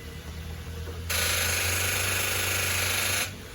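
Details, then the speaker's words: 2010 Infiniti G37X on jumper cables after battery replacement, car sat unused: turning the key gives a steady electrical buzz for about two seconds with no cranking, steering locked; owner unsure if starter or battery; no crank when key turned. "then I try to start the car and nothing just that sound car won't start steering though won't move"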